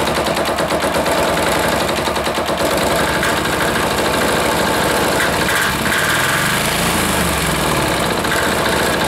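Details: Air-cooled diesel of about five horsepower, just put back together and started after priming: a loud rapid clatter that surges and sags and won't hold an even speed; the idle adjustment is slightly off, causing running problems.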